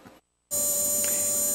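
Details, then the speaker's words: Relay charger recharging a ~1997 Polaroid Polar Pulse flat alkaline battery: steady even electrical buzz at constant pitch, no stutter; working normally. "here will be no heat to that battery well it's operating really fast all right I'm going to stop right there"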